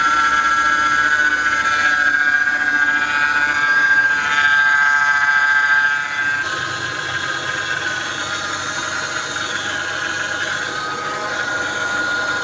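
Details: Mercedes-Benz R-Class (W251) idling: thin steady high whine over the engine, then dropping away, power steering pump howl caused by low power steering fluid; top up before worse damage.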